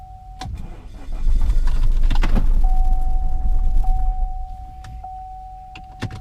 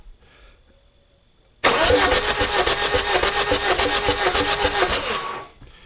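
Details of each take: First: Cheap 2.0L diesel Chevy Cruze: a long crank, then a brief, shuddering, lumpy run that sags and nearly dies; the cause is bent valves and broken rocker arms. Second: Chevy Cruze 2.0L diesel with glow plugs removed, cranking: starter spins evenly about three and a half pulses a second, each stroke pushing back the same through the glow plug hole; normal cranking compression.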